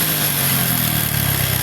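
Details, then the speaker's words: Honda Revo FI motorcycle idling with a rough sewing-machine clatter from a slack cam chain and worn top end; it puffs white smoke when revved and leaves black soot at the exhaust, so the engine needs an overhaul. "Bunyinya sudah seperti mesin jahit, lebih parah dari mesin jahit teman-teman."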